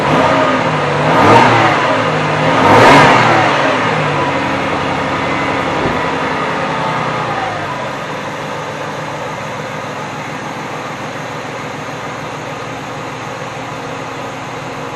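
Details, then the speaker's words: 2004 Ford Territory 4.0L Barra engine after intake manifold gasket replacement for a leaking intake manifold: a couple of quick revs then smooth even idle, no hiss or stumble; leak no longer heard, fixed. "I can't hear the leak anymore. So, that's all fixed up pretty good."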